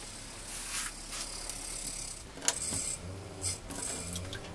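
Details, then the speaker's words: Caravan water pump under the floor hums softly at low flow with no rattle, just light clicks, after it was repositioned in its box, which had let it roll and vibrate; normal quiet running. "no rattle a at all now so there's the problem so I'll just have to modify that box so that um pump doesn't roll there while we're traveling"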